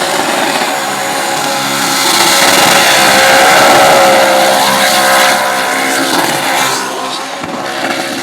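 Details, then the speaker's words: Engine revving hard during a burnout, tuned slightly rich, roars at high revs under heavy tyre noise, then the note suddenly drops away as the rods exit the block and oil appears; catastrophic engine failure. "That right there, my friends, is the last sound any driver ever wants to hear. That sound is the rods exiting the block. Rods out."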